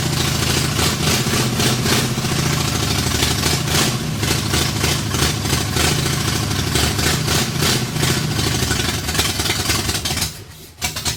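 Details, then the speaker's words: 1964 Ford F100, salvaged 302 V8 with a full-roller cam of 900-something lift, in park, first runs after decades off the road; loud choppy loping idle with open-pipe bark, stumbles and dies; owner suspects the big cam; power lost. "sounds radical it's probably that Monster cam I put in it 900 and something lift full roller"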